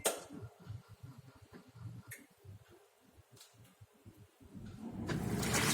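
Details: Soft water trickling and splashing with no beeps, building to a steady rush of filling on a fully automatic washer; beeping fault fixed by placing a magnetized strip at the water-damaged door magnet sensor, washer now running normally.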